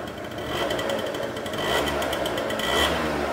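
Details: Two-stroke scooter after carburetor adjusted step by step: light, busy idle with fine rattly buzz holding steady without dying or surging; mixture sounds set right. Normal idle.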